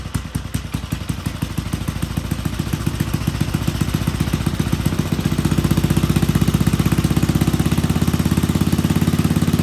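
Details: Old Troy-Bilt Pony rototiller on a temporary battery, running on fresh gas: steady single-cylinder chug around four beats a second, settling smoother and a touch louder; idling normally.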